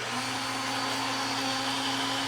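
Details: R.A.D. toy robot from a flea market, during its system check with the arms closing and opening: small gear motor whirs at a steady, even pitch with no grinding or stalling; it sounds healthy.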